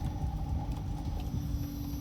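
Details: Inverter HVAC outdoor unit after a post-hurricane repair of a damaged compressor plug (L5 error), wiring temporarily crimped: low steady hum with soft fan rush once the capacitors charge. Fans and compressor running normally.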